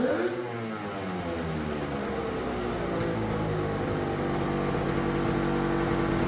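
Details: Turbocharged two-stroke triple on custom EFI (Spartan 2.0 ECU), during two-step testing: revs climb and hang high unevenly without throttle; erratic high revving from an open vacuum line, owner says, about to be fixed.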